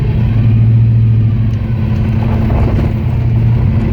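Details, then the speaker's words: Ford 351 Windsor V8 Mustang driven after 10 years of neglect: under way, a loud steady gear-like whine over the V8 rumble, likened to straight-cut gears but actually classic Ford power steering pump whine. "Power steering pump is Pretty fooar. Oh, it's kind of working at the moment. Sounds like it has straight cut gears, but nope. Just classic Ford power steering pump sounds."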